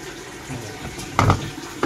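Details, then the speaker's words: Panasonic washing machine after the control board repair (the failed transistor switching the water inlet and drain was replaced): water fills and splashes steadily with soft tub clunks, no longer draining while filling, and it washes normally. "Wala na nalabas na tubig, nagwawash na siya. Yan, okay na siya. Hindi na nagsasabay ng tubig."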